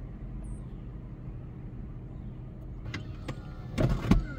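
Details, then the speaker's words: Convertible top lowering in non-cargo mode: low motor drone with sharp spring clicks from one side and brief squeaks from dry moving linkage, needing lubrication. "so we're going to put the top down and we're going to listen here there's already squeaks"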